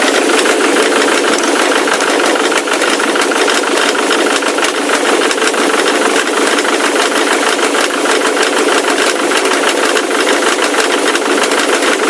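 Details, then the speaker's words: Ford Mondeo Mk3 turbo-diesel with an unexplained engine knock: a loud, harsh engine under throttle with rough, uneven knocking about three times a second, heard from the left side and likened to a chain; heavy smoke and soot when revved. The cause is unclear. "весь звук именно слева идет, как будто где-то цепь. Все отсюда."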